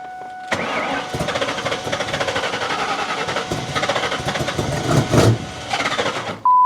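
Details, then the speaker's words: Ford Mustang revival, third start attempt while unplugging and replugging sensors to find a bad one, after idling perfectly earlier: engine catches, runs raggedly with uneven stumbling firing, then dies; rough start and stall, cause unknown. "Well, I want to know what the freak I did earlier, because I swear to you, I crunk it up and it idled perfect, dude. It was perfect. I don't know what the deal is now."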